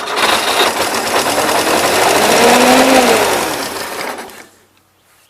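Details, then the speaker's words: 1977 Gravely GMT 900 running on fuel poured in after being jumped; small engine screams flat out with fast, busy chatter and won't settle to idle; owner suspects the throttle butterflies are wide open; engine racing at high speed. "I shut it off again because I swear it's trying to run wide-open throttle butterflies yes running off the fuel on dumping in there"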